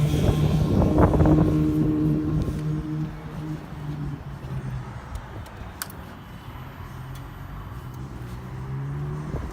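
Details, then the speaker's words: 2006 Harley-Davidson Ultra Classic V-twin after S&S 100-inch big bore kit, cams and TechnoResearch tune: catches and settles into a deep, loping, uneven idle beat from added compression and cams. Normal lumpy cam idle. "we hear the bumpy idle that's what they sound like when you add a little bit of compression and change the can"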